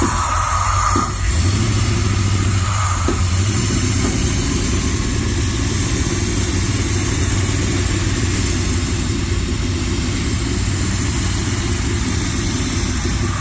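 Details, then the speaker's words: Hot rod engine with all coil wires firing: runs steadily, with a few sharp exhaust pops in the first seconds. "And of course, you could hear it was uh popping the exhaust pretty good."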